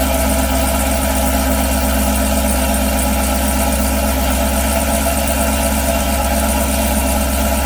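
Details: 2018 Chevy Camaro ZL1 after installing a Corsa anti-rattle spring kit on the NPP valved exhaust: deep, steady V8 idle with the exhaust valves open, even pulses with no rattle or buzz; sounds healthy.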